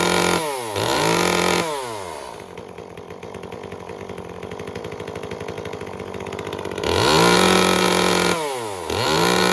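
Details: Second Echo CS-355 chainsaw after cleaning its clogged spark arrestor screen and removing the limiter cap to retune the very rich carburetor: blips up to a clean high scream and drops to a steady idle, crisp with no burbling.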